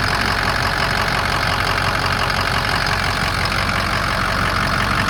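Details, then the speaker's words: 2007 Ford F250 4WD, 6.0 diesel, 147k miles: steady even idle clatter, no misses; no blow-by, no EGR/oil cooler pressure into the cooling system, runs perfectly, well maintained. "That's as good as it gets. There's no blow-by whatsoever. There's no coolant system pressure at all. There's no signs of any issues at all with this truck."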